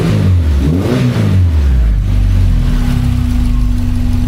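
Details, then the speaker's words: 1982 VW Westfalia van with Subaru engine swap, new radiator and fuel pump fitted; crisp rev rises and falls with throttle, then settles to steady idle hum, responsive with no knocks or misfires; one stored code, likely EVAP. "And it seems to be things are running pretty nice. Like I think it's I think it's okay."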